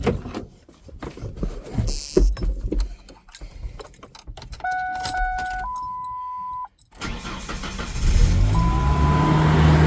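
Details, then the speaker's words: 1999 Ford Ranger 2.5-litre 4-cylinder, cold start: warning chimes, brief crank, then the engine races at an unusually high steady idle, which drops after 15–20 minutes of driving. Owner suspects a computer issue; the fix was replacing the temperature sensor. "So, as soon as you start it, it revs up the engine really high like that. and then it will um slow the engine down when you've been driving for about 15 or 20 minutes."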